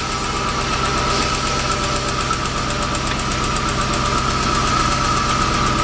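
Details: 1998 Jaguar XJ8 Vanden Plas V8 after throttle body cleaning to cure phantom stalling: steady even idle with smooth low hum, no hunting, stumbling or dips; normal idle after repair.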